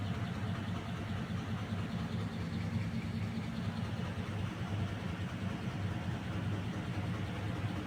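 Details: Package air-conditioning unit, indoor end, running noisily: a steady low droning rumble with a rough, uneven flutter and no clear knock. Suspected cause, not confirmed: loose V-belt, motor bearings or belt pulley.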